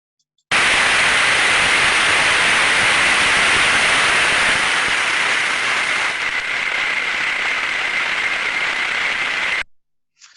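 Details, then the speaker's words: Ultrasound bearing inspection during greasing: harsh friction hiss that eases, becomes smoother and drops in decibel level as grease goes in, then stops lowering, so greasing stops; dry bearing friction reducing with lubrication. "so as we can hear there and as we can see from the time series waveform a large level of friction an ultrasound being generated as the grease applies the sound becomes a lot smoother and lower in in decibel value and it doesn't go any lower"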